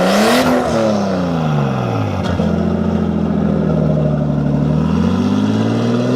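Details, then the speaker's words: Nissan S14 with an RB20 swap and a full 3-inch straight pipe to ISR 3-inch pipes; loud six revs up, settles and climbs again cleanly with smooth, even firing and no misses or knocks: a healthy engine. "It's a full 3-inch straight pipe all the way to the ISR 3-inch glass pipes, which is right here. And now we'll let you take a little sound of it."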